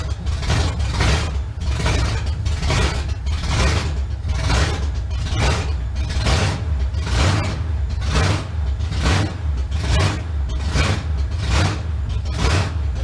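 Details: 1971 Chevrolet Camaro V8 first start after sitting nine years, known-good carburetor, car still off the ground: deep rumble with throttle blips about once a second rising and falling cleanly without stumbling; normal running.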